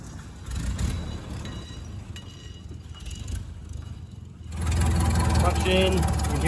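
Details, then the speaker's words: 1929 Ford Model A Town Sedan, first run in about 40 years after shed storage: slow engine beat around 220 a minute, and with the clutch pedal down a rough whirring rises, a worn clutch thrust (throwout) bearing. "can hear the thrust bearing is in pretty rough shape."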